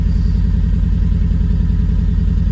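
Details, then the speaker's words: Triumph Spitfire with points gap set by eye in the distributor: lumpy, uneven idle shaking the gear stick; rough idle needing tune-up, points gap suspected wrong. "As you can see, the gear stick's moving like Billio, so it's obviously needs a bit of tuning up here, but it's moving now."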